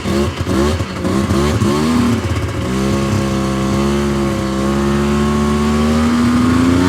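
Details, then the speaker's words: 1999 Yamaha Vmax 700 triple two-stroke snowmobile, fired on choke, quarter tank fuel, popping: stumbles and surges, strained drone that won't open up, idles down and dies; cause unknown. "definitely uh not running great not opening up very good you can see it's idled down a lot oh and she died"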